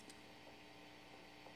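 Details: Fender Princeton 65 guitar amp with its volume knob missing, set to 0 and nothing playing: a faint, steady low hum still comes through; the cause is not given.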